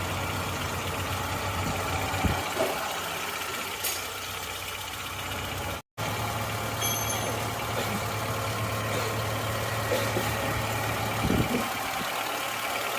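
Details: Suzuki Katana/Jimny engine rebuilt and returned to stock from racing mods after white smoke, first start after assembly: smooth, even idle with a steady low note, no knocking or misfire.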